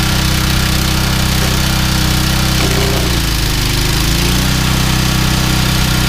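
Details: Yardman 21-inch snowblower 31A-285-452 with a 5 hp Tecumseh engine, sat unrun for years, cold start after revival with a 4L350 belt: a steady, even low chug with no misses or knocks. It runs normally.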